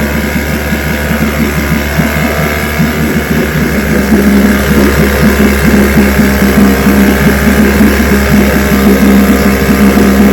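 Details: Restored then repaired vintage outboard, day four test, started at full throttle: steady, brisk two-stroke buzz at even pace, no misses or stumbles; running healthy.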